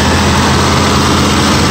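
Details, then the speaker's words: 1973 GMC motorhome with an Oldsmobile 455 V8, cold idle after sitting a few weeks: deep, steady, even idle with no skips, stumbles or ticking. Normal idle; hardly an exhaust leak, no blue smoke, not a hiccup. "Hardly an exhaust leak. No blues. Not a miss, a hiccup. Sounds like $1 million."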